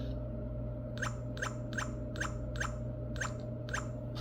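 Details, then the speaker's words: Satella Power US23/ULTRA smart lock, keypad code with secure lock disabled: steady low hum with sharp regular clicks about two a second, then a short whir, as it announces "unlock"; the lock motor unlocks the door normally. "Unlock. it unlocks the door."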